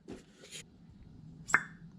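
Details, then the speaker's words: 2013 Volvo S60 T5 2.5T cylinder head on bench, new exhaust valve lapped in, finger over valve port; single sharp suction pop when pulled off quickly, showing the valve seals well. "you'll feel some suction and it should make a popping noise when you pull it out quick"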